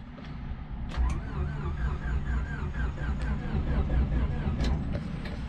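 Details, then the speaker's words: Turbo Honda Civic D-series first startup after fixing bad grounds with an extra ground wire, a cup to check for oil pressure, clutch held: steady even starter churn turning the engine over, no clicks or hesitation; normal cranking. "engine is turning over so that solved our problem bad grounds"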